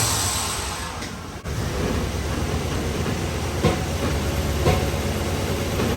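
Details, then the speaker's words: 1997 Chevrolet Silverado 1500 2WD, 5.7L Vortec 350 V8, P0300 random misfire code: even engine drone under light load broken by sharp exhaust bangs about a second apart; dropping one cylinder, a cracked distributor cap suspected. "but I can feel it's uh dropping one cylinder misfire and kind of think maybe a distribut cap is cracked but we'll see here"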